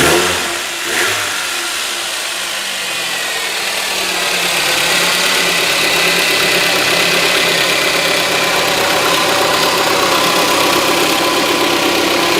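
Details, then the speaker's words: VAZ 2110 8-valve engine after tightening the loose alternator mounting bolt that caused a knock: even idle, steady hum, no knocking; sound now quite different, healthy. "Ну теперь совсем другой звук"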